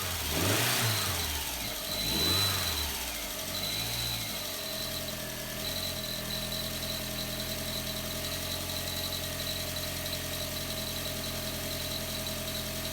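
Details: VW MK4 Jetta 1.8T after head gasket replacement, cylinder head, timing belt, water pump, thermostat and temperature sensor install: cranks, catches after a couple of surges, settles to steady idle with faint high whine, no clear knock.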